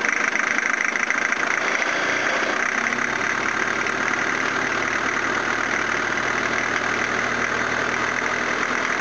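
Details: 1983 Toyota Hiace van engine running after rebuild with pistons, rods, crank and timing belt: catches and settles to steady even idle, light top-end chatter, no knocks or misses; normal idle.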